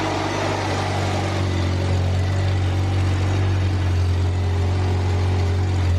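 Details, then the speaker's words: Upright AB62RT boom lift, sitting unused for over a year, on its first start after repairs (not charging yet): a steady, low hum at constant pitch with no stumbles or knocks, a smooth, healthy idle. "let's go see if we got any leaks looking good almost well that sounds alright"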